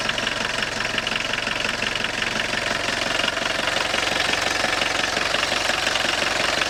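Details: Long-sitting Audi 80 diesel revived from the junkyard, idling with the clutch pedal released: quick, even metallic rattle about three beats a second over the engine, which goes away when the pedal is pressed or pumped; worn clutch throwout bearing.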